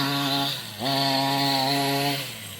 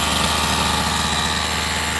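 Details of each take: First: Rovan 45cc engine in XLT RC after clutch change: short revs climb hesitantly and sag with a hollow, flat note, no power, "like it's not breathing"; owner wonders if too rich. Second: Rovan 45cc two-stroke in XLT RC after new clutch carrier and 8,000 clutch spring: fast, steady idle without the earlier shaking, much better than before; clutch possibly out of balance.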